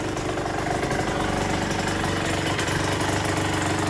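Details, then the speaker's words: KSR Moto with Austrian AM6 50cc two-stroke after repair: even, rapid putter at steady idle with no surging, rattle or misfire; it runs nicely, sealed everywhere, with no leaks. "No to oddajemy Wykonaj wyżej następca liście końcóweczki Chodzi fajnie wszędzie szczelnie"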